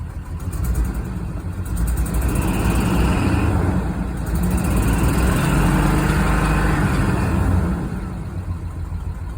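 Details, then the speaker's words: 1991 Toyota Land Cruiser 3FE after new fuel pressure regulator and fuel damper (plus new filter, plugs, wires): uneven rumble with irregular low pulse, surging on revs; still rough running and no power, cause unknown. "Yeah, so it still runs like crap after changing the fuel regulator and dampener."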